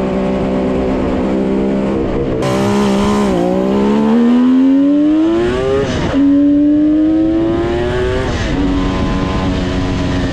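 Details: 1974 Kawasaki H1 Mach III fitted with an H2 750cc two-stroke triple, after removing the restrictive air filters that were bogging it: crisp revs climb cleanly and repeatedly without stumbling or bogging; healthy, free-revving engine.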